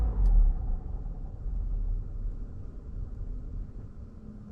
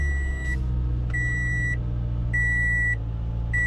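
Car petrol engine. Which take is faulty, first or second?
first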